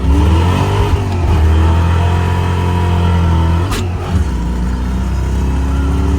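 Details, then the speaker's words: Foxbody Mustang V8 pulling hard, then a sudden sharp crack near the shift and a rougher, weaker note after; blown head gasket after three hours of running, blamed on the clutch fan. "No, that will not conclude tonight's video because I'm sitting here editing this and forgot to tell you guys they blew a head gasket and you can hear it. I'm pretty sure when he went to third gear, you could hear the head gasket let loose."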